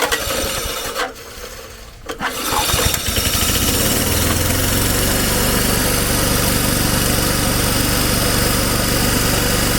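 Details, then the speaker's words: Old Snapper mower rescued from the trash, after the carburetor diaphragm was reinstalled and fresh gas added. Throttle set to start, a few pull-cord rasps, then the engine catches and settles into a steady, even putter with no misses. Starts and runs fine. "moment of truth let's see if it starts go ahead and put the throttle on start and give it a pull probably take a few pulls to get some gas up into the carburetor but we'll"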